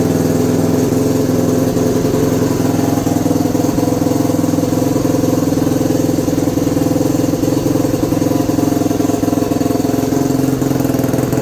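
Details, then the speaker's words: 2021 Yamaha YFZ450R SE right after installing a Pro Design intake kit, stock pipe still fitted: even, steady single-cylinder beat at a fast idle with no knocks, ticks or misses; engine runs smooth and healthy. "Sounds good. Definitely happy with the way it came out, and like I said, definitely can't wait to ride this thing. She's even more of a beast than she was before."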